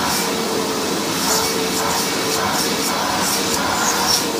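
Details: Hoover WindTunnel vacuum test run after rebuild: loud, steady airy roar holding one pitch, no rattle, scrape or surging; motor is known as loud on this model, runs healthy.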